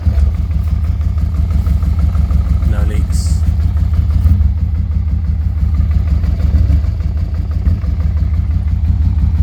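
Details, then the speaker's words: Honda Transalp XL600 V-twin after carburetor replacement, on test ride: steady even low thrum with no misses or stumbles; pulls strongly and runs normally, with idle set a bit low. "So yeah, just took out for a test ride. It pulls like a train. It seems to be working."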